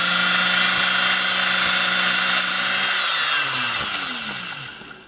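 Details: Vintage Singer 404 sewing machine motor after seating the brushes on the commutator with a brush seating stone: a high, brushy whine holds steady, speed improved, then the pitch slides and fades as it coasts down. Normal motor run.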